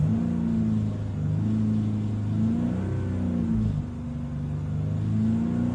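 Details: 2002 Hyundai Coupe (Tiburon) 2.7 V6 revving between 3000 and 4000 rpm: a strange wavering droning hum rising and falling with speed, coming from the left side of the engine; cause unknown.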